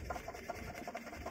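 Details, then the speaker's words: Porsche Cayenne Turbo with constant engine whine that stopped with the drive belt removed: water pump spun by hand gives gritty, rasping whir with thin whine, worse at high speed; noisy water pump bearing. "As you can hear that, the water pump is really noisy. It's starting to be noisy, especially when you're spinning in high RPM."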